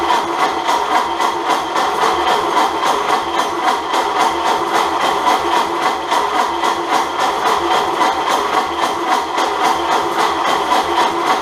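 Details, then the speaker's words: Bare-bones 1929 Ford Model A doodlebug fitted with an unknown donor engine: steady, even cranking at about three to four beats a second that never catches, not even on ether; cause not yet found. "And I think it's time to uh get a fresh look at this and try to figure out why it's not firing off ether cuz it certainly should."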